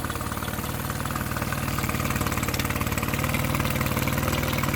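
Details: Mercury 9.9 outboard bought used for £120, which had not run, back after 8-9 weeks of repair with parts from abroad; test run: crisp, even firing pulses about four a second, no misses or rattles; normal clean idle.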